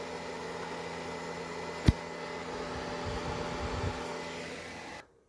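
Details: Greencell 1000 W hybrid solar inverter in a garage: steady whirring hum with a fixed tone, then cut out, from the original worn, noisy cooling fans before replacement with new fans, which were much quieter.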